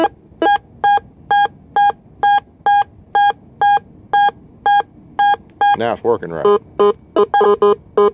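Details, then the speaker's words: Whites MX5 metal detector in two-tone, full sensitivity, auto ground balance, sweeping iron then a nickel: steady mid-pitch beeps about twice a second, then a lower tone lingers and hangs on; owner suspects ground tracking. "Watch when I come back over here to this nickel. Well, I won't do it now. There it goes. It hangs on. It's showing right, but what? I don't understand why it does that."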